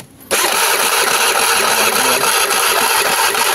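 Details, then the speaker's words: Honda Vario 110 carburetor scooter that had lost ignition and charging, after repair: starter spins and the engine catches at once, then settles into a steady, even idle; ignition is back to normal. "Nah suaranya juga kedengaran kan ya cedkceik oke pengapian sudah normal"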